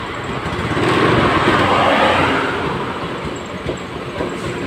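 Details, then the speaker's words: Honda Scoopy FI scooter, fuel pressure about 20 psi at key-on and 18–20 psi running instead of 40: revving is rough and stuttering and won't climb cleanly; misfire and hesitation from a weak fuel pump. "Coba kita tes hidupkan motor Raya [Musik] malah lebih parah yang motor hidup dia Hai turun ya turun sekitaran 18/20 PSI ya awam untuk tekanan segini dia tidak normal lah"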